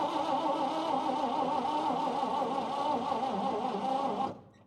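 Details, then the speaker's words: 1953 Chevy 3100 truck, 235 six-cylinder, 4-speed, long-sat farm truck on fresh battery cables: steady starter cranking about four seconds, even churn, no firing; dwell test shows no dwell at the points, so no spark, won't start. "all right so we have no dwell so let's pop that cap off of there"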